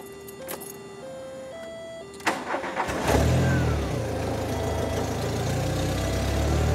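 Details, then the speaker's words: 1993 VW Cabriolet after fuel pump replacement, in neutral with parking brake on: starter cranks briefly, engine catches cleanly and settles to an even, steady idle without stumbling; starts far better than before the repair. "and it started thousand times that are better than it did last time"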